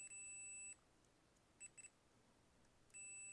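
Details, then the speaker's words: Roland Juno-106 (1984) synth, voice chip repair: a multimeter continuity check on a jumper wired from the resistor to the chip's third pin after the pattern was removed. A clean steady high beep sounds twice with silence between, confirming a good connection. "So that circuit is well connected to this part of the resistor here. It's well connected, and the second one"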